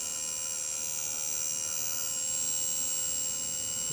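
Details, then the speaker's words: Quadcopter motor 1 (CW) brushless motor at low throttle around 1032–1042 microseconds: high-pitched whine with rough buzz and faint uneven ticking, motor slow to start; bad motor buzzing and ticking. "And the obvious buzzing, ticking in there. You hear it real good when I turn it down a little bit."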